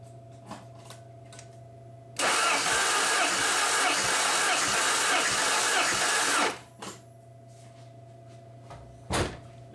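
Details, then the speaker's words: 1994 Saab 9000 during a compression test, after a reading of 0 psi on cylinder 2 the night before (others 215–235). About four seconds of steady, even starter cranking; cylinder 2 now reads about 215 psi, normal. "Let me crank it over a few more times. I was getting nothing last night. Yeah, we're about 215 where it should be."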